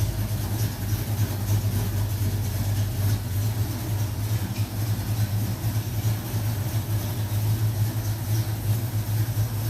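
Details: 1970 Mach 1 clone V8 with a Holley 600 carburetor during a carb gasket repair, idling while still a little cold. A deep, steady idle with an even low pulse and no ticks, stumbles or hunting: normal.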